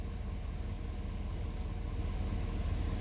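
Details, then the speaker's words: 2017+ Ford 6.7 Powerstroke diesel, warm, just after fuel filter change and three key-on bleed cycles: fires right up into a low, steady, smooth idle rumble with no stumbling from trapped air; fuel system bled and running fine. "I heard a few more bubbles, little pockets, and call that good and crank it up. Fired right up."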